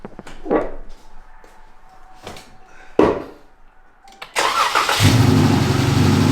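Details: Dodge Challenger V6 after spark plug change to fix a cylinder 1 misfire and shaking: handling knocks, then engine fires and settles into steady, even idle with no shake or stumble; repair successful.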